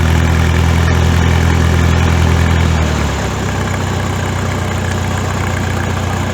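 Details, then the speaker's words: Farmall tractor idling after its exhaust was modified and rebuilt by welding: a deep, even low thump that settles slightly lower and stays steady as the governor holds it; deep original sound restored, normal idle. "got the same the same cell as previously it's a nice deep sound and i think foreign it sounds much bigger"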